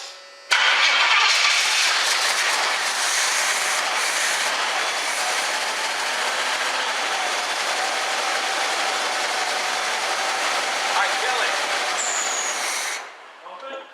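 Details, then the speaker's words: 1976 Pontiac Firebird Formula first started after sitting for years, with a leaking fuel line found: engine catches quickly and settles into a steady, even run, no ticking or knocking over the exhaust roar; normal first start. "yeah it sounded good it's pumping fuel it shows i mean i didn't hear it's working i didn't hear a tick for not being started how many years"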